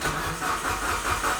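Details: Fully built Mitsubishi Evo 9 engine before first start: steady starter churn with even pulses about five a second and no firing, cranked only to build oil pressure; the oil light goes off as the pump works.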